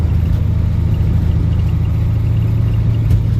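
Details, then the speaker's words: 1985 Ford F-8000 with CAT 3208T diesel after a 13°F cold start, cruising in fourth gear high range with windows up: deep, steady, smooth drone with no knocks, sounding like stock; healthy engine. An annoying rattle is noted elsewhere. "that's basically what it sounded like when it was stock just hear the engine sounds sounds beautiful actually the engine you get on it though you hear the exhaust"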